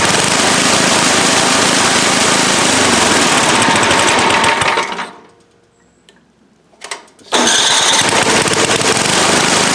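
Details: Toro 7/24 snow blower with Tecumseh engine after oil change (fuel was in the crankcase): steady rapid putter, brief quiet gap, then picks straight back up and runs evenly; may need slight low-side tweak.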